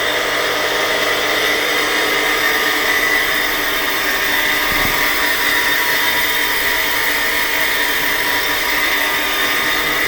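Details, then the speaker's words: Centrifugal pump running: harsh rough whine with gritty fast-rippling hiss from worn, failing bearings; changing the two bearings could return the pump to service for another 7 years. "That noise is being made by the bearings They are screaming They are asking us to let's change"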